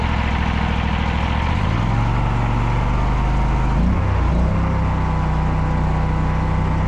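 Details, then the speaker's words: Harbor Freight Predator 670cc 22 hp V-twin being fitted to a Toro Grandmaster 345 mower: smooth even low thrum with a brief rev change, no knocks or rattles, not too loud at full throttle; normal running. "Well, y'all, super stoked. The Predator runs, sounds good. It's not too loud."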